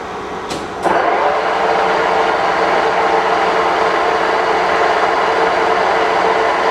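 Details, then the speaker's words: K&T milling machine, first run after restoration work: spindle running at about 1130 RPM while being stepped up through the gear speeds. A steady, even mechanical hum with a faint gear whir and no knocks or grinding; it runs normally and sounds good. "so you can see that the columns and the machine itself is actually running it's running good it sounds nice and I think we're good we got a good mill on our hands he"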